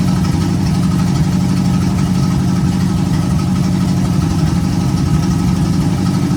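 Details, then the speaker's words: 1951 GMC cab-over truck after first start and a temporary vacuum leak fix: steady, even low rumble holding pitch with no misses, knocks or hunting; idling smoothly, runs good. "Cool. So she runs. Runs good too."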